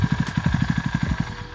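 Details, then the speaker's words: Kawasaki KLX 230R with BRT Juken 5+ aftermarket ECU, started after fuel pump stopped priming: even steady single-cylinder thumping about twelve beats a second, no clatter, settled to the set idle RPM; normal idle. "Nah, kurang lebih 5-6 detik RPM akan turun tinggi, lalu dia akan masuk ke RPM yang kita setting. Nah, kedengeran kan?"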